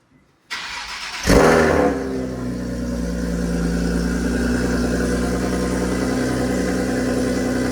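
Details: Nissan 370Z first startup after PPE long-tube headers, Motordyne res pipe and exhaust: a short crank, sharp catch with a loud rev flare, then a steady throaty idle. Noticeably louder, with smoke from the new Cerakoted headers. Normal.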